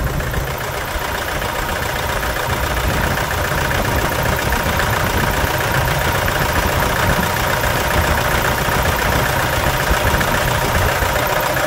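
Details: 2011 Toyota Hilux 2.5 diesel, rotten contaminated fuel, scan shows pump valve code, lacking power: uneven stumbling idle as a cylinder drops out; diesel misfire at idle before cleaning injectors, pump, lines and tank.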